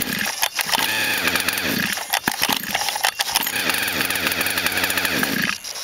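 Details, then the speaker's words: Small engine with a 644 carburetor that wasn't drawing fuel without priming: buzzes unevenly with dips and surges on choke. "is running with the chopin let's take the choke off you"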